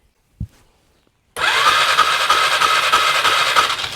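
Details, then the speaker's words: 2001 Polaris Scrambler 500 2x4 ATV with a new-looking spark plug, kill switch being removed to test: starter spins the engine at a steady, slightly uneven chug of about three beats a second, but it never fires. No spark. "I'm not getting any spark whatsoever. Let's take this kill switch off and see if we get anything."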